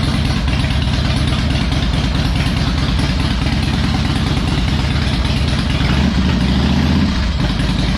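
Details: Harley Electra Glide owned almost five years, after new spark plugs, a cleaned air filter and fresh oil, not yet warmed up: even, loping V-twin idle with steady beat, no misses or rattles, running better; normal idle.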